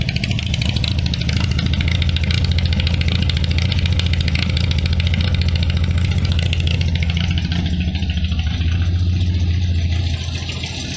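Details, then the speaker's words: 1973 Triumph Spitfire MkIV 1500 idling, heard at the exhaust: rough, deep, uneven chuffing, tractor-like. Owner reports a blown head gasket with white exhaust smoke and grey mayonnaise in the filler cap; the head is to be removed. "So anyway, as you can hear, it sounds like a Russian tractor. Actually sounds like a yak aircraft out the back."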